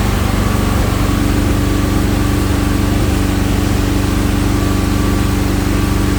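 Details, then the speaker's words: 1971 Alfa Romeo 1750 GTV, manual, cold engine just started: a steady, fast, even idle with a firm low throb and no misses. The idle is high while cold and is dropping; it may need adjusting. "all right there you have it now the idle is going down a little bit so that gives us a little bit of an indication of the engine idle"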